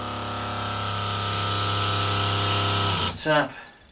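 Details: Boat water pressure pump reassembled with a new diaphragm after refitting the pressure switch diaphragm that was the wrong way round: steady, even electric whir at constant pitch for about three seconds, then cuts off; pumping normally.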